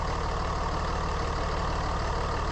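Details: Steady constant howl over unchanging diesel idle clatter on a 3rd gen Ram Cummins that runs about 210; owner suspected turbo or fan clutch, stethoscope ruled out fuel pump and turbo: bad alternator bearing.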